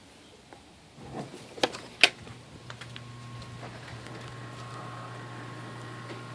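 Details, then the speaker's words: Chamberlain Whisper Drive garage door opener: a couple of clicks at start, then a smooth, quiet, even hum with no more squealing; normal operation. "you don't hear anymore squealing noises which is great"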